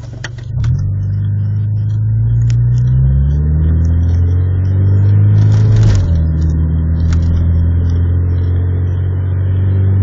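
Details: EJ1 under acceleration while driving through town: revs climb, then stumble and hesitate before settling into a steady drone; misfire under acceleration.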